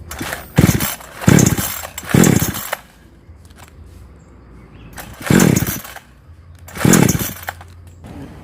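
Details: Chainsaw that starts then dies when hot; blips up in short rough bursts and sags to a thin uneven idle, fuel reaching it, suspected weak, dirty or oil-fouled ignition coil giving poor spark.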